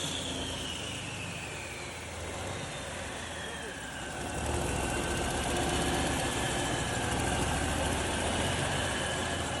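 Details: Freshly overhauled diesel engine on the stand, first start after rebuild: even idle with a steady four-per-second beat, no knocks or misses, running smooth and healthy.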